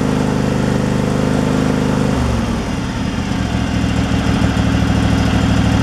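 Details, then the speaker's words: Craftsman Pro mower single-cylinder engine with a new carburetor fitted to fix surging and rough running: smooth, steady idle with no hunting or surging. "it sounds like it's running pretty smooth where it's at so all right it's not surging"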